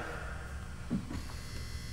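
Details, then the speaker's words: Low steady mains-pitched buzz with faint chatter from a barn-found power supply reading 13.8 AC; stable but noisy, whole unit feels like it's vibrating, thought to be about to fail, likely transformer. "showing 13.8 AC it's stable just noisy the whole thing feels like vibrator it's probably about to go"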